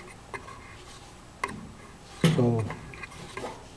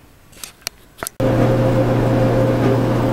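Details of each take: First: GE gas dryer, about 15–20 years old: irregular light ticks and ratchety scrape as the blower fan rubs its housing because the motor mount shifted forward; pushing the motor back made the noise disappear. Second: GE gas dryer, about 15–20 years old, with the belt, rear drum bearing and front drum slides changed: a few clicks, then a steady low hum and even drum noise, running normally.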